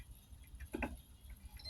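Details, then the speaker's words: LG LED TV that is completely dead with a burnt power supply: multimeter continuity test on the jack, where after handling noise a thin steady beep shows it is connected and normal. "Nah, nyambung ya satunya. Oke teman-teman, jadi jacknya ini normal."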